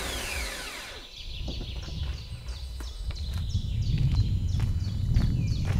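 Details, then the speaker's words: Seat Leon Mk2 2.0 TDI, first start on a newly fitted reconditioned starter motor: high whine sweeping down as the starter lets go, then diesel rumble with quick light ticking; faulty reconditioned starter. "why does that sound so weird"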